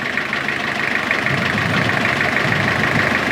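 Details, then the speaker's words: Diesel engine running in gear: loose, uneven rattle about three times a second while the engine visibly jumps on its mounts; it was smooth before, and the cause is unknown (power takeoff, gearbox, feet or shaft suspected). "As you can hear, there is a slight rattle, and as you can see the engine's actually jumping up and down the way it is."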